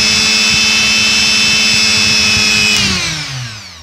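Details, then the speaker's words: Mixer grinder motor after the bush was replaced: smooth, steady high whine with no rattle, then an even spin-down after switch-off; it now runs clean and quiet. "काफी सुंदर आवाज़ निकल रहा है इस तरह आसानी से"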